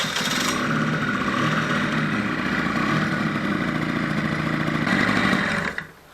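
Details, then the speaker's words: Honda Gyro X three-wheel delivery scooter's small two-stroke, first start after 10 years sitting, following piston-kit replacement and cleaning of fuel tank and oil system: fires up, settles into a soft, even, quiet idle with no knocks or rattles, then shuts off; healthy running. "Думаю, на камеру слышно не будет, но работает он очень мягко и довольно тихо, скажу я вам."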